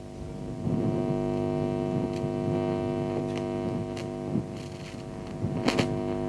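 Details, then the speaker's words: LFD NCSE amplifier, microphone near the speaker, before cleaning with Service-Sol: steady mains hum with irregular scratchy pops and crackles as the volume knob is moved; dirty, crackly volume potentiometer. "But hopefully what you'll be able to hear is, when I touch the volume control and sort of move it any amount, you should hear a crackle."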